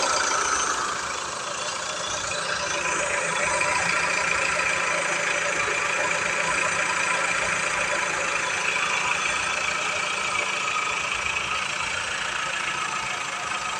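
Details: Engine noise when accelerating: busy hum with a fast ticking chatter near four per second on top; owner unsure whether lifters or water pump, cause not confirmed.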